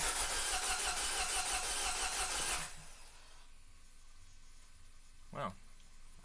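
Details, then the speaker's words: 2012 Mini Cooper S Countryman with several-cylinder misfire, before catalytic converter declogging: engine cranks, catches roughly for a few seconds, then stalls; severe multi-cylinder misfire. "So here we go. Oh, it's not even going to stay running."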